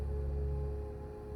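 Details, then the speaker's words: APC 1500VA UPS SUA1500RM2U with roof-leak rust, powered up: steady droning hum with fixed mid tone over low rumble that drops away as the fan stops; failing cooling fan. "That sounds horrible. Oh, that's the fan. Yeah, so the fan has failed in this."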